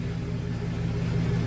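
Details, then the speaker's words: 2000 GMC Sierra 2500HD two-wheel drive on stands in drive after new brake lines and differential fluid change: smooth even hum from spinning rear wheels, no clicks, grinding or whine; normal rear axle operation. "So far, it runs pretty good. Runs pretty smooth, so you cannot hear any noise. Pretty smooth, guys."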